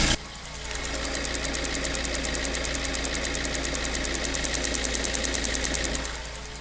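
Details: BMW 1 Series N43 engine at idle on first start after a DIY bottom-end rebuild for spun bearings and low oil pressure: fast, crisp, even ticking about ten a second is the fuel tank purge solenoid cycling, not a problem.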